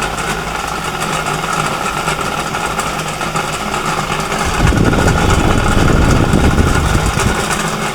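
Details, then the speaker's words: Ravi/Cinni table fan with two running coils and no capacitor: loud, rough rattling hum from worn motor bushings letting the shaft wobble, making the fan sway. "तो देखिए दोस्तों इस तरह से इसमें इतनी तेज आवाज आ रही है कि इसकी आवाज बहुत दूर-दूर तक जाने वाली है तो इस कंडीशन में इसके जो बुश होते हैं वह कट जाते हैं जिसकी वजह से यह ज्यादा आवाज करने लगता है"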